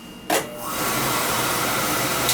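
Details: Oil burner that would not run, with an outside tank, after bleeding air from the line (delayed oil valve): motor and pump start up and settle into a steady, even hum with a faint whine and no knocks. Normal burner pump running.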